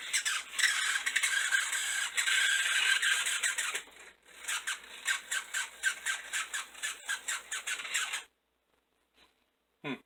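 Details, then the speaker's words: Model locomotive motor from an eBay lot after adjusting the brushes, which were pushing against the insulation: buzzes high and chattery with uneven squeaky pulses about twice a second, like an angry chipmunk; brush contact suspected. "like an angry chipmunk there we go that's what it was"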